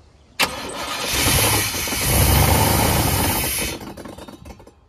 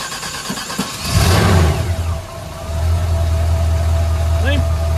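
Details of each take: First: Junkyard 1989 GMC Sierra C1500 350 small-block V8, first start on poured-in gas: fires and runs briefly with a loud rushing, hissing fan roar over the engine before dying; fan sounds unhappy, cause unknown. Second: 1989 GMC Sierra C1500 350 V8 junkyard truck, cold start with no choke: brief crank, catches with a rising roar, dips, then settles into a steady low idle; normal cold start and idle.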